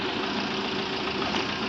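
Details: Maruti Swift diesel misfuelled with petrol, petrol still in fuel rail and injectors, risk of injector damage: after first start, steady diesel idle with slight unevenness gradually settling; rough idle after petrol misfuelling.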